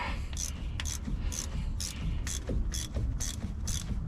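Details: 7.3 truck driveshaft turned slowly by hand after a bad noise developed on a trip: rough, gritty ratcheting with a scrape about twice a second; the hanger bearing is worn out, its rubber coming out, and will be replaced.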